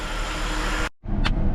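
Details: Holden VY Calais skid car (Ecotec) after an engine swap, idling on a hoist after first start, hot day, gauge reading about 70 psi oil pressure that is doubted: steady, deep idle with no stumble or knock apart from a brief dropout; sounds healthy.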